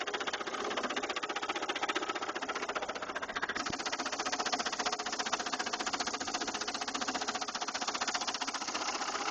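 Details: 2000 Saturn LS2 engine with a fast, even ticking knock about three to four per second over a thin idle; internal engine knock that appeared suddenly.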